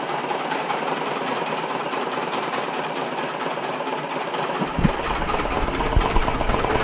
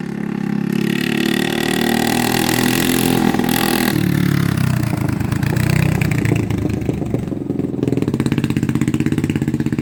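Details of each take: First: 1980 Honda XL250S single, idling with no air filter after a mouse nest was cleared from the airbox: loose, irregular knocking about three per second over an uneven idle. Owner is unsure whether it is engine knock, an exhaust leak, or an intake air leak. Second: 1980 Honda XL250S on a test ride after the bad fuel was replaced and the carb cleaned: the single thumps along and picks up cleanly on throttle, settling into an even beat with no stumbling or cutting out. Normal running.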